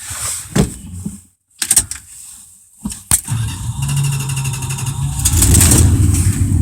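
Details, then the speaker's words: 1987 Dodge Ram D150, 318 V8 originally from a 1971 Dodge motor home, manual choke pulled for each start: cranking bursts and stumbles, then a lumpy uneven idle settling slowly; a cold-blooded engine, rough until warm. "it cold blooded just like all Dodges but it runs good runs great it's got a 318 in it"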